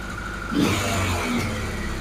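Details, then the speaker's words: Four-carb engine being balanced with gauges, mixture settings under adjustment: sharp throttle blip, then revs hang and sink only slowly back toward idle, taking far too long to come off the revs; slow return to idle. "that takes far too long to come off the revs"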